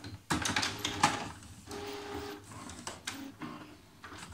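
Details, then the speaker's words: HP Photosmart 5520 after service station repair for grinding noise and carriage jam: short whirs and clicks as the carriage and service station cycle at power-up, with no grinding or skipping. Fully fixed. "let's close it and see if it grinds on the same spots or it's fixed it's totally fixed yeah"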